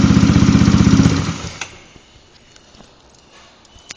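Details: Yamaha Zuma 125 scooter idling; quick, even tick about four per second before shutoff, from fan area or just behind; owner suspects cam tensioner or lightweight fan; ticking noise.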